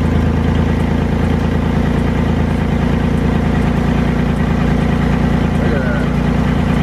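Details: Car exhaust at idle and light rev before a flux-core MIG weld patch over the leaking section: rapid uneven puffing tick about twice per second on the exhaust note, gas escaping through holes in the exhaust.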